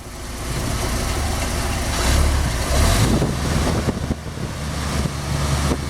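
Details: Dodge drag truck after winter storage, cold start on a new EverStart battery without needing a boost, slightly flooded: deep, steady low rumble with an even idle, no knocks or misses; healthy.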